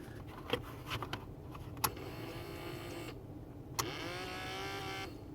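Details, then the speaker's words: 1998 Toyota Camry blend door/air diverter actuator motor after repair, reinstalled with one screw, harness connected: small motor whirs in short bursts with clicks, pitch sliding as it drives the flap; repaired actuator moves. "There we go. Alright, well, it sounds like a dead pig trying to do something."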